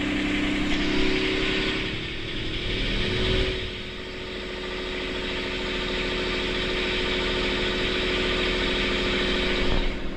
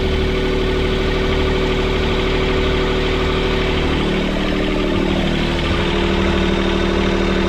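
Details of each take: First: Boat's port diesel engine after repairing all four engine mounts snapped when it struck a submerged log: steady brisk chugging well above normal idle, because the throttle cable bracket bent when the engine jumped forward 3-4 cm; idle needs adjusting. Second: Sailboat port diesel in reverse at anchor after repairing all four mounts snapped by a submerged-log strike. Idling too high because of a bent throttle-cable bracket. Steady, heavy rumble with an even beat and no knocks or clunks; running normally.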